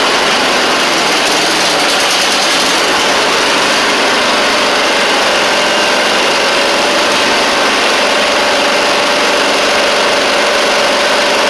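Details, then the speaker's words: Briggs V-twin on a Huskee Supreme 50-inch riding mower, restarted after sitting, choke pulled: uneven stumbling idle with faint hiss, one cylinder dropping out and misfiring; heavy smoke, carburetor to be cleaned. "oh it's still not right what I'm doing is I'm trying to burn it off"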